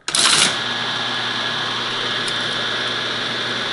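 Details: Teletype ASR 33 paper tape reader, restored with relay contacts remounted, running under automatic control: fast, even mechanical chatter with no break or stumble; tape feeding smoothly, normal reader operation.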